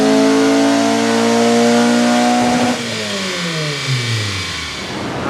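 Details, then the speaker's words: Civic Si (EP3) with JDM K24a2 swap, OEM clutch, 3" quiet exhaust with twin loop muffler, tuned on 91 octane; full-throttle pull to redline on the dyno after clutch break-in: strong, clean, steady howl, no misses. Healthy, safe air-fuel ratio. "But it sounds pretty darn good. Let's go ahead and take it all the way to Redline."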